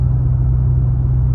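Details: Chrysler 300 with Ripp supercharger running again, warm at about 185 coolant, 38 oil pressure, 14.1 volts; strong steady low drone with even pulse, no ticking or misfire, idling smoothly and healthy.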